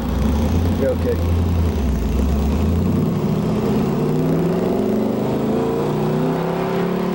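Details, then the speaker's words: 1969 Camaro Z/28 after restoration (1992–93): deep even V8 rumble climbing smoothly as throttle opens, no knocks or misses; normal healthy running. "I know you have no problem sounds awesome here huh it's got a really unique sound I like to hear outside the car"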